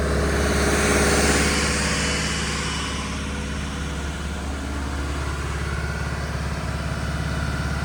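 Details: Diesel fire pump engine on test, isolation valve closed, with a steady, even drone, smooth regular beat and no knocks or misses; running normally.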